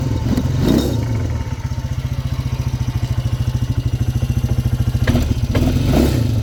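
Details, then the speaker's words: Polaris Hawkeye 300 4x4 ATV, running a bit lean: steady idle thumping about three beats a second with a light metallic clatter, likely from the CVT side; slightly suspicious clatter at idle, cause unconfirmed. "There is a slightly suspicious sound. Such a bit of a clatter, well, that's not it."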